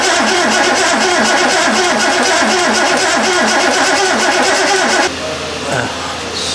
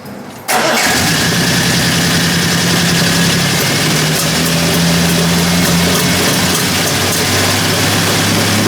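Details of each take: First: Triumph TR6 under restoration, non-original fuel pump, rebuilt metering unit: steady starter cranking for five seconds with no firing; no fuel coming from the metering unit, suspected ignition timing fault. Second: Triumph TR6 engine during restoration, injectors checked: fires immediately then holds a loud, steady, even idle with low drone; no big-end knock, though owner suspects timing still needs adjusting.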